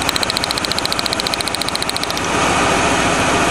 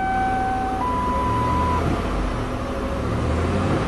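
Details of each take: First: 1997 Lincoln Continental at idle after a burnt spark plug wire was repaired with tape: runs smoothly, then with one plug wire unhooked an uneven puffing thump beats three or four times a second; dead cylinder misfire. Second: 1997 Lincoln Continental engine after fixing a burnt spark plug wire with tape on a cylinder that wasn't firing: steady, even idle, smooth low hum, no puffing or stumbling; normal idle.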